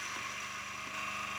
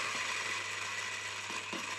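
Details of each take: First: A coffee burr grinder, given a hot start, grinds beans with a small piece of wood added. Steady high-pitched whir of fast burrs crunching through beans with a light rapid rattle, a bit noisy; it smashes the wood with no strain. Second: A coffee burr grinder grinds 15 g of beans plus a 0.9 g stone from raw-coffee destoning. Steady motor whir with a few sharp clacks as the hard stone passes through the burrs.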